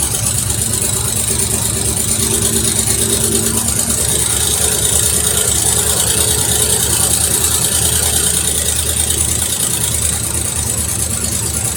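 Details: 1973 Mercury Cougar XR7 V8 at its first start since 1985, after decades of sitting with oil-gas mix in the cylinders: rough idle with a light, fast ticking over the rumble, suspected lifter noise from age; gauge shows no oil pressure, gauge unverified.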